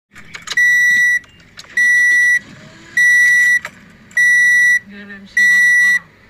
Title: Toyota Corolla beeping sound to starting engine effects